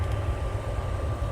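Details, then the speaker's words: Hayward pool heater firing after the combustion fan pre-purge, with the green burner light on: steady low roar with an even hum, no popping or rumble; the burner lit and is firing normally. "There we go. Green light's on. That means we do have a burner on."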